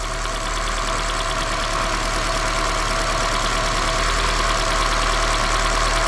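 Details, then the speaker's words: 2010 Toyota Corolla shaking at idle with a misfire: sharp, fairly regular snapping, about three a second, over rough idle; spark heard jumping from a lifted ignition coil, suspected not confirmed. "O aunque no tuvieras un escanner en ocasiones puedes hacer esto para escuchar La chispa porque se escucha miren sí lo"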